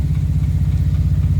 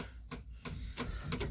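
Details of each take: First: Morris Minor 4-door first start on key after new ignition barrel, with choke: low uneven chugging idle with irregular dropped beats; runs but missing, owner suspects points and plugs need cleaning. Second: Morris Minor 4-door running on jump pack (battery flat) after new ignition barrel: ignition on, five crisp ticks about three a second, slowing slightly; electric fuel pump priming normally before start.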